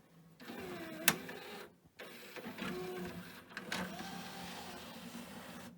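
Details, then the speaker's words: Pioneer DVL-K88 laserdisc player bought as junk from Japan (100 V, 43 W), first power-up with no disc: short motor whir and light clicks as the tray slides out smoothly, no grinding; owner may still check belts; normal tray opening. "So, I'm pleased that actually opens. Probably worth me checking the belts on this actually, but it's still saying no disc, which is good."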